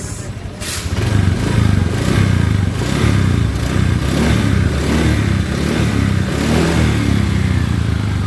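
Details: Honda Vario 125 scooter after repair of rear-wheel rough noise traced to the swingarm bearing: smooth pull under throttle, an even low drone rising with speed, no rumble or grinding from the rear wheel.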